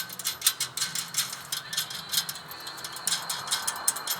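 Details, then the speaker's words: Hyundai Santa Fe 3.5 V6 with a rattling noise the owner blamed on the suspension: light uneven metallic ticking from a loose exhaust bolt left untightened, its washer chattering, heard over bumps; no engine note underneath. "Esse aqui tá no escapamento, parafuso de escapamento, eles não apertou ele não. Aí a arruela dele fica fazendo barulho."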